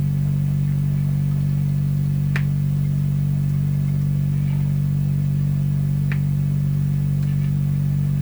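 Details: Canadian PYE Model 39HC tube radio under repair, during signal-killing tests: loud, deep continuous low throb with faint clicks from the speaker; set still motorboating.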